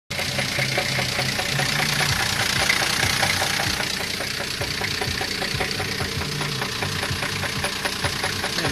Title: Двигатель стучит что делать